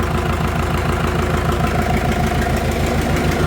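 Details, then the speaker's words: Farmall 650 diesel tractor after troubleshooting, now running on diesel: even, steady chug at about three beats a second with no misses or knocks, a healthy idle. "Alright, let's see if we can pick up speed with it. But got her going on diesel at least."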